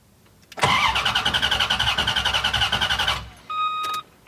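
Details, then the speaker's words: Car just fitted with new computer and rewired fuel pump, after two fuel leaks were fixed: starter cranks steadily about four turns a second but engine never catches; fuel pump not heard running, owner suspects a bad relay. "Oh, you know what? I'm not hearing the fuel pump's not going. And that relay looks like it sucks."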